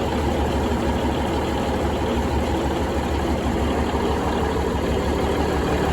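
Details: Budd RDC 9114 railcar diesel, engine No.1, after transmission oil cooler replacement (coolant had contaminated transmission oil), transmission flushed with kerosene, coolant and oil refilled. Deep, steady idle with even beat, no knocks or rattles; healthy.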